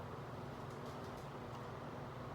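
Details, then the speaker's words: Replacement exhaust fan (heksos) motor/dynamo, tested after install with nearby parts moved clear of the blades: quiet, steady low hum with even airflow, no ticking, scraping or wobble; the fan no longer makes noise and runs normally. "Nah, ini udah bagus ya, kipasnya udah nggak ada bunyinya."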